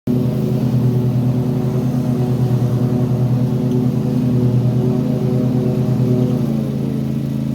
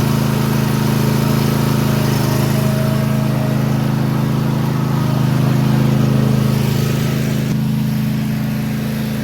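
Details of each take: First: Toro TimeCutter mower, Kawasaki FR691V twin, hot after about 10 minutes running: irregular lumpy beat, skipping, cutting out and popping, stumbling near end; runs fine when cold; hot misfire, cause unconfirmed. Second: Toro TimeCutter mower with Kawasaki FR691V engine, after replacing parts to cure skipping, popping and misfire that began once warm or under load. Steady, even drone about three beats a second with no pops; run to warm up to confirm the fix. Normal running.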